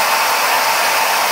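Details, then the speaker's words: Router motor standing upright, recorded on a tablet about 95 dB, far louder than the 69 dB water-cooled CNC spindle: a loud, steady high-pitched whine over an even rush of air with no wobble or knocking. Normal running at full speed. "And I'm sure it's hard for you to hear me. It's hard for me to hear myself."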